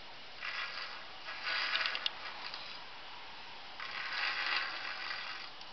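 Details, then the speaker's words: Bicycle wheel with minor lateral wobble, spinning after a first spoke-nipple adjustment pass: soft swishing scrape about once per turn as the rim still rubs the brake pad. "now on my first pass it was still rubbing and so I've decided just to make another pass but very very finely this time"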